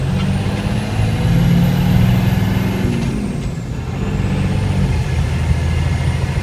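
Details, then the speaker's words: FZJ80 Land Cruiser with Cummins 6BT diesel swap and NV4500 manual, cab test drive under load: deep even diesel drone with clean rising turbo whistle, not much rattling, fairly quiet, normal healthy running. "So I'm not talking at a really high volume here, so you can tell it's actually fairly quiet. I mean, you definitely hear the diesel engine, and you hear the turbo spool up."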